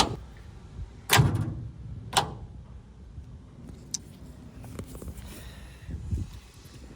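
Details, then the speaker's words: Abandoned Allis Chalmers D21 tractor, 1,427 hours, sat long: two heavy clunks about a second apart with no cranking; starter and solenoid engage but engine won't turn, owner suspects seized engine, plans pulling injectors and soaking pistons. "it looks like we're getting power to the starter and the starter solenoid seems to be working it's engaging but I don't want to muck around with it too much so like it's locked up"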